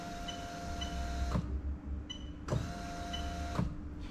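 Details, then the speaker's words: Lexus SC430 3UZ-FE VVT-i V8 swapped into a Lexus IS200 with J160 manual gearbox: electric fuel pump switched on via the ECU, steady motor hum with sharp relay clicks, running normally. "but i just want to show you that it's working by the ecu right so as i turn it on you have the fuel pump working"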